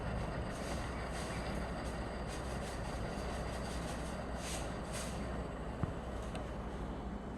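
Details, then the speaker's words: Brand-new Pensonic table fan on its first run, microphone at the vent: a steady motor whir with a rough, grainy rumble of bearing noise underneath. "closely and it has bearing noise I put my ear right up against the vent and it has bearing noise"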